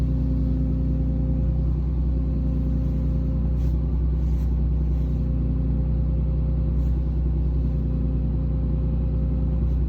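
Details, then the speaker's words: Interior whine heard under the driver's side by the brake pedal on a 2017 Ram 2500 6.7 diesel, about 84,000 miles: faint constant whine, grind and vibration over a steady diesel rumble, not heard outside by the engine; failing power steering pressure hose from the hydroboost to the pump. "All right, so hopefully you guys could hear that, that noise that was coming down by the brake pedal."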